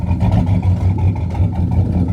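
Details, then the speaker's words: 2001 Chevrolet Silverado 5.3L V8 4WD, lumpy uneven idle with irregular stumbles; engine misfire. It also overcharges at 16 V even after an alternator swap. Cause not found. "it's got a misfiring [Music] issue it's misfiring you can hear it"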